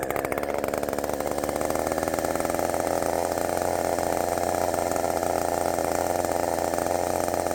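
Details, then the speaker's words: Redmax 5000 chainsaw with wide-open exhaust port muffler cutting at full throttle: screaming steady high pitch under load, no bogging, about 12,200 rpm dropping to about 11,900 on a knot; faster than before. "it's definitely faster I is definitely faster than the um Thunder kitten that's blazing finally I think we got there"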